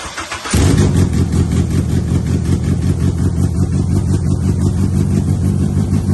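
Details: Honda Civic Si EP3 race car build, first start after engine install; quick crank, catches at once and settles into a strong, even, deep idle with steady firing pulses, healthy.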